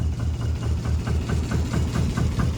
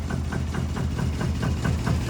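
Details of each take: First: 1973 Lancia Fulvia 1.3L V4, front-wheel drive, fully cold with carbs tuned and no choke, idling: smooth low idle with a faint regular light tick about twice a second; minor rattle suspected in a door panel, source unknown. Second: 1973 Lancia Fulvia 1.3 V4 front-wheel drive, carbs dialed in, engine fully cold with no choke: a low, steady, even idle with no knocks or misses. It idles down and almost dies; normal cold idle.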